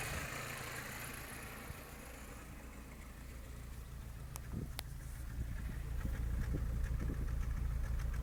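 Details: Skoda Fabia 1.4 MPI at low idle with a rhythmic stumble, about two uneven pulses a second; misfire traced to a bad third-cylinder fuel injector.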